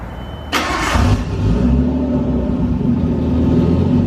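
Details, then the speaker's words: Nissan 240SX with an RB20DET swap, now idling and running; catches at once and settles into an even, healthy run with no knocks; boost issues remain, with electrical tape used as an intercooler coupler. "Sounds good though. Huh? Sounds nice and healthy. Yeah. So you guys can see it idles now and it runs."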